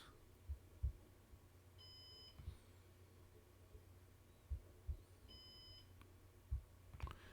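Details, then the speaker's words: Synology DVA3221 NVR with one of four drives removed: two long, high alarm beeps about 3.5 s apart as the storage pool runs degraded on three drives. "we can see that it's registered as degraded you can hear the beeping there in the background"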